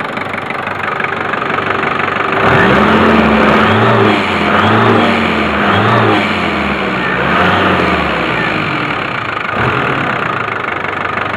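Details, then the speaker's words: Dump valve/BOV connected to the large blue solenoid outlet, microphone next to the valve during quick revs: solenoid clicks on and off correctly but the valve barely vents, no sharp whoosh; turbo still makes 0.8 bar even with the valve on direct vacuum, owner suspects valve not fully opening. "you can clearly hear it click in on and off correctly so i know that the solenoid valve is opening and closing as it should be uh just doesn't seem to be any operation from the valve itself"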